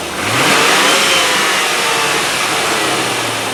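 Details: 1997 Land Rover Discovery 1 on a stand-in battery, shortly after first start: a brief rev blip, then it settles to an even idle with no misfire that sits a little high.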